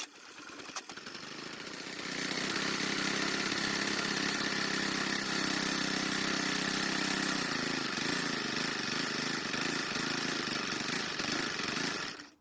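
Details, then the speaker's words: Troy-Bilt 4-cycle trimmer, confirmed to have spark and compression: a few sharp pulls, then it catches and holds a steady buzzy high-pitched run for about ten seconds before cutting out. It is probably running on fuel left in the carb. "Now, it took quite a lot of turning, but we finally got the engine started and running. It also ran for a really long time."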